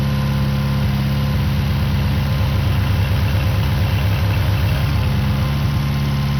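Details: Restored long-stored 6.5 kW gas Kohler marine genset from a houseboat, run with bucket water pickup at about 30°F; low even rumble at constant speed, no misses or surges, running smoothly.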